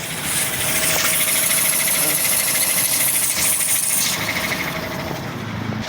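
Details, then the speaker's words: Toyota Vios single VVT-i after overheating from a broken water inlet hose, coolant refilled, aircon off: steady idle with bright fan and belt hiss, no knock or rattle; earlier noise without water gone, compressor pulley still faulty. "Yan, under na siya. Iba yung ingay kanina dito pag walang tubig. Yan, okay na mga idol."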